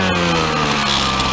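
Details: Small two-stroke petrol trimmer after carburetor off and spark fault fixed, warming up: constant-pitch buzz with an even, unbroken note and no stumbles; running healthily.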